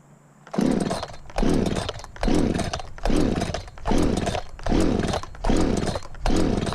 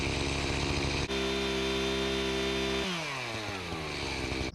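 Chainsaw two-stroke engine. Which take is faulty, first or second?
first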